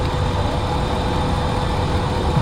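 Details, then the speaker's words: Dodge Ram pickup (about 2004, 198,000 miles) with a misfire: a lumpy V8 idle with an uneven beat and a recurring stumble. The ignition coil (number eight coil, moved to cylinder 6) is arcing spark out through its boot, causing the misfire. "you see the spark coming out through the boot this uh this coil is leaking leaking voltage out of it"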